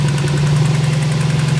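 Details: Subaru STI at steady low idle with fast, even tapping, about fourteen a second; began one night after antilag was set up, not like rod knock, owner suspects valve train, cause unconfirmed.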